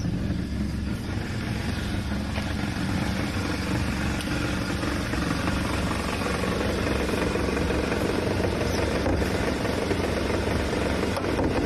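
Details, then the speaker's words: Kia Optima engine with stalling problems, running with a rough, uneven deep knock about four times a second over idle; suspected engine bearing failure, not confirmed. "it totally sounds like she has engine uh bearing failure that's what it sounds like to me"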